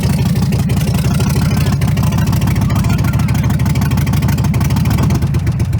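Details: Truck V8 that runs and drives: deep, loping idle with an uneven, stumbling beat and dropped pulses, with cylinders 6, 7 and 8 misfiring and no rod knock heard. A wiped-out cam is suspected.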